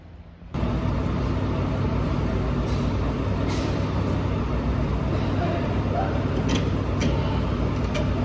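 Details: Volvo EC480EL crawler excavator, Volvo D13 diesel engine: loud, steady diesel roar with faint, uneven puffing hisses from a leaking exhaust. Exhaust leak.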